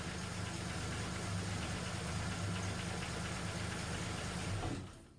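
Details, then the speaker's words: Holden LH SL/R Torana during refurbishment, ignition timing freshly set that morning: low, steady, even idle with no knocks or misses until switch-off. Normal idle. "Yeah, I set the timing this morning, and all seems to be going well. Let's fire it up for you. Runs like a dream."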